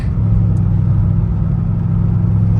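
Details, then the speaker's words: Dodge Charger Scat Pack Widebody after fixing an active exhaust valve squeak that showed at slow speeds and starts, driving: steady low exhaust rumble with no squeak or chirp; exhaust sounds healthy. "So good. I ain't heard not one squeak."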